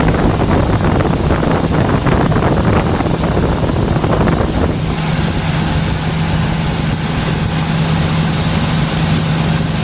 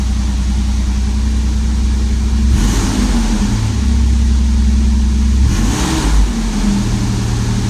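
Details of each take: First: 1994 Toyota T100 pickup, comeback for misfire and raw fuel smell after a valve cover gasket job: with the ignition wires sprayed with water, a rough, uneven stumble for several seconds, then it settles to a steady hum. Spark plug wires arcing cause the misfire. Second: 1994 Toyota T100 after the misfire fix, with the wires zip-tied into their holders: steady, even idle with two clean throttle blips that rise and settle smoothly, no stumble or miss. Runs healthy.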